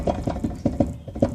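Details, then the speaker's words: 2007 Chevrolet Silverado 1500, truck jacked up and arm pried at the lower ball joint: sharp dull clunks, about eight in under two seconds; same noise heard muffled in the cabin driving; worn lower ball joint with up-and-down play. "like that that's about what it sounds like when you're going down the road but it's a little um more muffled because you're inside the cabin"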